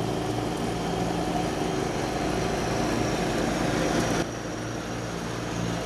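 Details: 1989 John Deere RX75 riding mower cutting thick grass: a steady, even single-cylinder drone that holds its speed, with no knocks or misses. The deck may be cutting a little low and throws grass everywhere; it is running normally under load.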